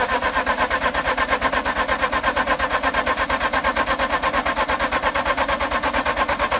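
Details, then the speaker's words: Mazda RX-8 after freeing a stuck alternator pulley and flooding-clearing, jump-boosted: fast, very even starter churn around three pulses a second, spins freely but never fires; cause not confirmed, owner wonders if starter is an upgrade. "i know i know guys this is spinning crazy now it's spinning crazy fast"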